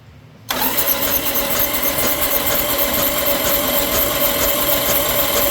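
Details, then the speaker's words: 1995 Yamaha Virago 1100, sat about 12 years, carbs cleaned, good spark: starter spins the engine steadily at a brisk cranking beat but it never fires; cranks but won't start, tank to be pulled next. "Well, we got crankage. We got everything else."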